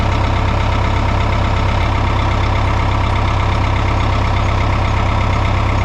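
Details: 1988 Caterpillar D4C bulldozer diesel after a new battery and a fix to a corroded wiring connector: deep, even chug at a steady low rate with no knocks or misses. Normal healthy idle.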